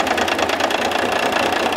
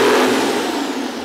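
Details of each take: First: International DT466 diesel on a lab stand at idle, one injector line cracked to check fuel delivery: busy clatter turns uneven and lumpy as that cylinder drops out; injector cut-out (dead cylinder) test. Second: International DT466 diesel after start-up: brief strong high-rev roar at wide open throttle, holds steady then eases slightly, no knocks; normal wide open throttle.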